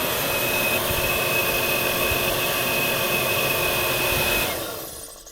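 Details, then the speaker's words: Old space heater unused about 3 years, plugged in and switched on for milking parlour: steady fan rush with thin high whine but no burner roar; fan runs but fails to ignite. "but it's not lighting so it's not igniting so let's turn it off hook it off with the power supply"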